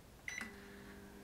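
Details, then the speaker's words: Digital-panel microwave after repair of no-hum fault (door switch bypassed with wire), 10-second reheat: two keypad beeps then steady low mains hum and fan; heats normally, turntable turning. "микроволновка прекрасно работает греет функционирует чашка крутится"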